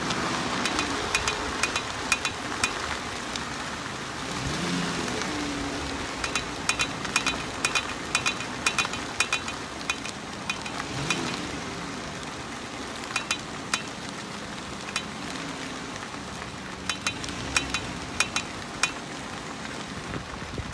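Sharp, light clicks come in uneven bursts over road noise, from a cracked steel front rim flexing.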